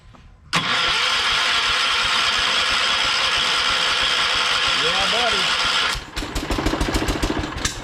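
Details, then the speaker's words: John Deere 212 garden tractor started from the seat after a new solenoid install, with the electric fuel pump running: the engine catches and runs with an uneven, lumpy beat for several seconds before settling, rough just after starting. "She's a little unhappy, but she started much."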